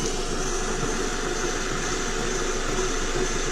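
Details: Customer reports a rolling sound while driving; CV axle wheel bearing spun for comparison: a smooth steady hiss with no grinding, rumble or clicking, quiet and healthy, unlike the rough bearing on the other axle.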